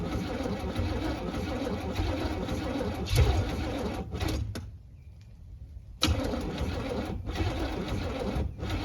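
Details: 1978 Camaro V8 on a 16°F day with no choke and a damaged Demon 625 carburetor: cranks on and off, fires a couple times even with ether but never catches.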